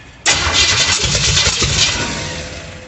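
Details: 1937 Dodge Brothers with a 350 engine on its first start: catches suddenly with ragged, uneven sputtering bursts that fade out. The distributor was 180 degrees out, wired for Ford rotation, and had no vacuum line. It fired right up once the firing order was corrected.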